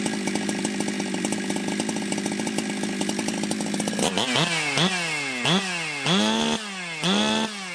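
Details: Ported Jonsered 2071 chainsaw after rework; it had run poorly, like an air leak with a hot case, but no air leaks were found and the crank was re-tightened. Even buzzing idle for four seconds, then crisp blips that climb quickly and drop back cleanly: normal idle and revving.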